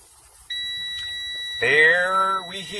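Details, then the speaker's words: Air brake pre-trip inspection, air system being drained: steady high-pitched low-air warning buzzer and light come on at about 65 psi (must be no less than 60 psi); low air warning working properly. "our low air warning indicator we see that light that came on there we hear the buzzer so it did occur at approximately 65 psi and it should occur at no less than 60 psi so we know our low air warning indicator is working properly"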